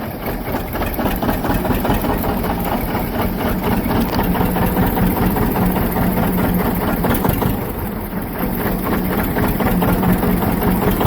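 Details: John Deere 730 two-cylinder diesel tractor, parked for years after a water-pump failure: after the water-pump rebuild and a belt start, its first start in 8 years gives a slow, steady chug with no odd knocks, a healthy idle.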